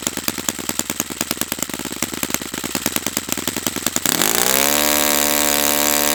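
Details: Brand-new Saito FA-100T twin model engine on test stand during break-in run: lumpy popping beat for four seconds, then catches into a clean, steady high buzz that holds even; running perfectly, normal.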